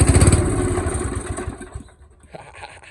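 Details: Old mower's original single-cylinder engine on first try after sitting unused, spark plug not cleaned, little very black oil, air filter off with starter spray. Quick sharp low pops, about four a second, fading within two seconds as it catches, then dies.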